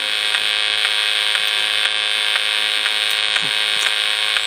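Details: Cheap PRC-made PWM solar charge controller on a battery bank of four 125 Ah AGM batteries (two 24 V pairs in parallel), heard through a radio receiver: steady high buzz with sharp clicks and strange tones every 20–30 seconds; extra hash likely from a modified square-wave inverter.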